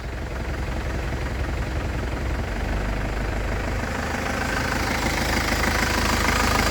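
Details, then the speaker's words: 2012 Isuzu Panther diesel, about 120,000 km, started cold: even, regular idle clatter, stable with no stumbling or metallic knocking; engine sounds healthy. "jadi mesinnya ini dari getaran dia stabil tidak pincang suaranya juga renyah KH penter tidak ada suara aneh-aneh atau besi bertumbukan ya jadi aman mesinnya jadi suara bagus"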